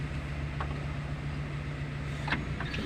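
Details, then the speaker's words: 2010 Suzuki Carry Futura 1.5, engine idling after brake master cylinder replacement: brake pedal pressed fully with only faint clicks and no hiss, whereas before repair a half-pressed pedal made a hissing noise. "kita injak tidak ada suaranya seperti tadi kalau tadi kita injak gantung ada suara"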